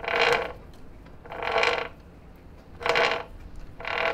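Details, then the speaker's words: 1985 Honda ATC 70 three-wheeler with swapped Piranha 140cc 4-speed semi-automatic engine: slow, uneven bursts of dry creaking and ratcheting from the new chain tensioner; noise persists with tensioner loosened but stops once removed. "so we loosened the tensioner and it looks like it just makes that noise which is really disappointing"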